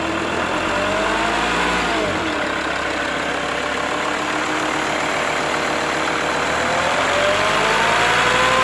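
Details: Mercedes W211 270 CDI diesel: a droning hum from 1000 to 2000 rpm, with or without the belt. It starts well cold with no knocking; a replaced oil pump didn't help, and the hum goes away if the front is raised 5–10 degrees. Cause unknown.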